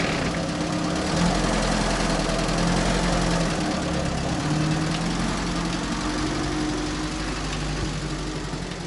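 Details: UAZ 31512 petrol engine revived after standing, started with petrol poured into the carburetor: a steady low idle, about three and a half beats a second, with a faint mechanical patter. It idles on its own, normal idle.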